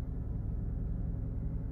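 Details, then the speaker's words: 2013 Lexus GS 350 bought from Copart, driving: steady, deep droning rumble with no sharp knocks, heavy and low at the back; owner points to the rear exhaust. "That's that exhaust in the back."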